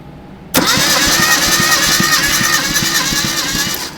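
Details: 1972 Datsun 620 pickup, compression test cranking on cylinder two: steady even chugs about three a second, no firing; moderate compression read around 75 to 90, rounded to 100 psi.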